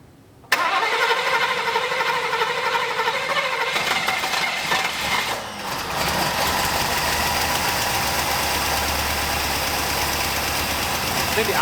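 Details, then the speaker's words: 1965 Buick LeSabre V8 not run since 1989, after cleaning a carburetor with clogged jets and fixing a vacuum leak; the starter is acting up. It cranks, catches and runs, but the idle sits low and lumpy with an uneven beat: idle too low. "idle's too low foreign let me go get my timing lock see if I can figure out what that is"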